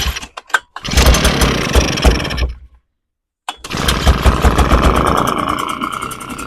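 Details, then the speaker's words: Echo PB580T leaf blower two-stroke after rebuild of a seized engine, now with strong compression: pull starts, catches, stops briefly, restarts and settles into a steady, even idle with no knocking; normal start and idle. "going to let that idle for a while. That sounds really good."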